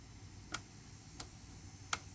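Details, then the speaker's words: 2007 Yamaha C3 50cc scooter (XF50W) with a replacement fuel pump, cranking on a lithium battery with fresh fuel: three sharp, light ticks about two-thirds of a second apart; the fuel pump is working and trying to pull fuel, but the engine has not started yet. "I can hear the fuel pump chooching, so that's good. You can hear it. It's doing something, so it's trying to pull fuel."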